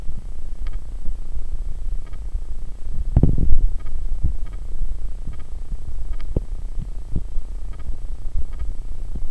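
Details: Logitech webcam mic recording through the Logitech program, which hums while other recording software does not: constant low drone with faint ticks; cause unconfirmed.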